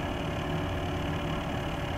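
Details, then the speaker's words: Corsair H100 water-cooling pump at its slowest setting, in a PC with a new Corsair power supply and eight quiet fans: constant loud, buzzy, rhythmless low hum louder than all fans combined; faulty pump, fixed by Corsair replacing the unit. "that noise you hear is entirely hello from the pump they're eight fans running while you here's the part many things going to turn the pump now from the slowest setting the machine is a Bible the pump is quite loud"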